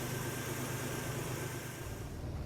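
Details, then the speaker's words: 1971 Jeep CJ5 V6 with an Amazon carburetor, started after repairing the carburetor power valve and resealing: steady, even low idle with no misses, knocks or hunting. Normal idle, sounds healthy. "Okay. Okay. Sounds pretty good."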